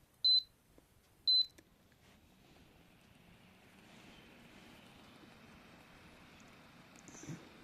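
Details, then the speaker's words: Infrared cooker control board powered on a test supply after repair; two short high-pitched beeps at power-on, then a faint steady hiss; board starts and works normally. "यह देख सकते हो आप यह बिल्कुल अच्छे से वर्क कर रहा है। बिल्कुल फंक्शन कर रहा है ठीक से।"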